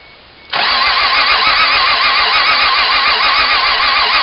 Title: Won't Start